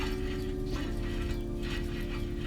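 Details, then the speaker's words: 2005 Acura TSX rear hub assembly turned by hand: gritty, rough low grinding with felt binding, a worn wheel hub bearing needing replacement. "that does not sound good at all. You could feel it binding, you could hear it grinding."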